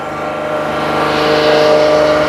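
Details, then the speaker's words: First start after a long winter, following battery and IAC valve replacement: the engine holds a fast, steady high idle around 3,000 rpm for about 5 minutes with a flat drone and thin whistle before dropping; cause unknown. "But it starts up at 3,000 here, then it tones down. When it goes down, it's totally fine. Oh my god, it's so obnoxious."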